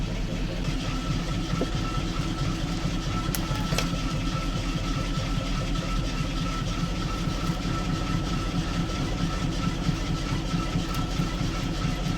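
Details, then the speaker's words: Engine just installed in a ZIL crane truck, bought from an MTZ tractor. Steady, even low idle with no stumbles. Now runs smoothly. "Работает все четко, сами слышите, но с утра запустил, что-то, подтраивало."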